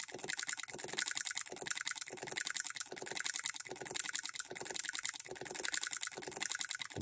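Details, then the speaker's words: Hand-built Coilmotorworks solenoid hit-and-miss model engine at about half its rated voltage: sharp metallic clicks in quick clusters of three or four with short gaps, refiring before locking out; still hitting and missing. "it's hitting three or four times there's half of it rated voltage and it's still hitting and missing"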